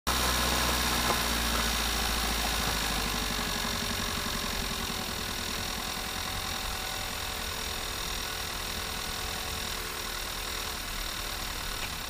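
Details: Audi A3 idling evenly with a thin steady whine and some mid-pitch hum over it, apparently from the gearbox; cause unclear.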